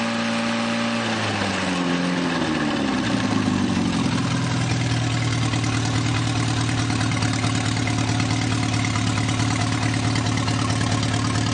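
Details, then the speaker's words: Newly rebuilt 2.1L TR4A four-cylinder, first run test, straight pipe, warmed up: revs fall cleanly to steady even idle about 1,000 rpm (900 earlier), oil pressure about 55 at idle, no knocks or misses; normal idle. "but there it's idling about 1,000, and oh, it was down about 900. I guess now that it's got warmed up, it's running about 1,000."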